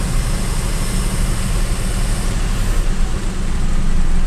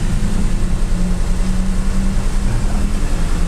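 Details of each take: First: Avanza/Xenia (old model) after cleaning the ISC idle control valve and letting idle re-adapt (EFI fuse had been pulled): low, even rumble settling after a blip with no hunting or surging, RPM back to a steady normal idle. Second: Daihatsu Xenia/Toyota Avanza old 1000 cc, warmed up, AC off: a steady engine hum with an even pulse, idling fast at 1200 rpm instead of 900–1000 and higher with AC on; possibly a dirty or damaged idle speed control (ISC) valve holding the revs up.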